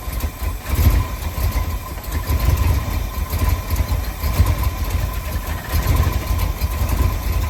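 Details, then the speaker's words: 1965 Ford F100 on 1974 highboy chassis, supposedly crate 390 V8, after carb rebuild and timing bumped up: loud low idle that lopes and surges instead of settling; rough idle, lean mixture or vacuum leak suspected, carb floats rechecked. "Still kind of doing the same thing. I ended up pulling the carb back off of this thing, It just wasn't running right, and I thought maybe I did something wrong when I rebuilt the carb."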